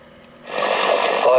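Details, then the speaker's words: Roberts R66 valve radio out of its case, voltages checked, with a replacement fitted for a selenium rectifier: quiet hiss, then a broadcast comes through clear at fairly good volume. Now playing normally; the earlier fault was possibly a loose connection. "it now seems to be working fine and fairly good volume."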